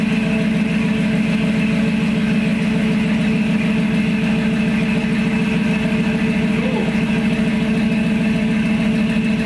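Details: 1952 Dodge pickup swapped to a 5.7 fuel-injected Gen 3 Hemi V8 with 5-speed automatic, new dual exhaust on temporary hangers, first start-up in park: deep, even V8 burble at steady idle, no ticks or knocks; healthy.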